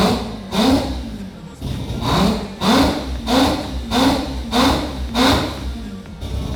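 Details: Mazda FD RX7 with 26B four-rotor engine, just started after fixing a no-fuel-pressure problem: repeated sharp rev blips, each rising and falling cleanly with no stumble or misfire; normal free revving.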